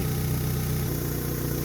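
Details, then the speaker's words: Mitsubishi that cranked but wouldn't start, after repairing the cracked hose between the intake manifold and fuel pressure regulator: smooth, even low hum with steady rhythm, no hunting or misfire; starts, revs and holds idle correctly. "Vemos que una vez reparada la manguera y reestablecida la conexión entre el colector de admisión y el regulador de presión de combustible, el motor enciende perfectamente, acelera y mantiene ralent correctamente."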